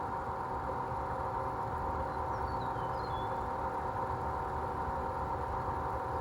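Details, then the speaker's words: Fujitsu inverter mini split outdoor fan motor running at constant speed: steady droning rumble with a harsh ringing tone; fan motor bearings worn and in the grinding phase. "So yeah, there's that noisy fan and now I'm going to show you the industrial fan that is also noisy and also has worn bearings."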